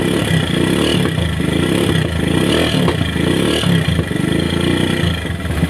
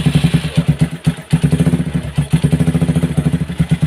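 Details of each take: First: Single-cylinder motorcycle after oil was pumped through to restore circulation to the cylinder head, following an earlier piston seizure: an even, steady beat with ordinary valve clatter and no knocks or rattles, a normal idle as oil now reaches the head. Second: Motorcycle repaired three times after piston seizure, oil not reaching cylinder head: single-cylinder idle thump with harsh dry rapid valvetrain clatter; head dry under valve cover, starved of lubrication.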